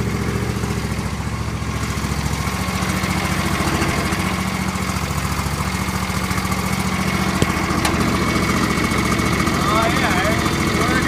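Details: John Deere L118 mower after transmission fan replacement: single-cylinder engine runs at a steady, even chug with no grinding, squeal or clatter from the drive; sounds healthy.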